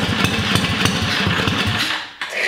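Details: Mini ATV's electric-start Tillotson 212, first start after a mild build: Hot265 cam, billet rod, 22mm Mikuni carb, side-exit header with RLV muffler. Fires right up with quick even popping, brief throttle dip and pickup; normal start and run.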